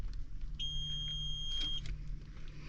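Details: Idling tractor cab while fuses are checked (15 A blower fan fuse found fine) for dead blower fans; the AC clutch kicks on. A shrill, steady beep of about a second sounds over a low idle rumble. The cab warning alarm repeats; cause unknown.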